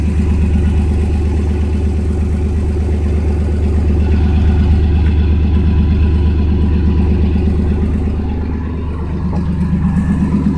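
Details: 1992 Chevrolet S10 Blazer idling on a cold day after plug wires replaced to cure a multi-miss: deep, even pulse about three beats a second, no skips, no check engine light; leaking cat rattle and a vacuum leak noted.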